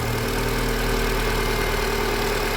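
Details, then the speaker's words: Renault Duster Oroch idling right after the faulty PCV valve was replaced; smooth, steady hum with no hiss or rattle, a normal idle, though the mechanic expects the noise may return later. "veamos como con esta válvula cambia significativamente el sonidoo así queem decir que queda trabajando bien"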